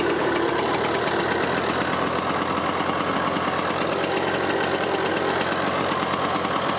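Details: Green automatic two-speed Pappa Tunturi moped with centrifugal clutch, after spring service and carburetor cleaning: quick, even two-stroke putter with steady rhythm, no misses; runs cleanly, still needs test drive and jet adjustment.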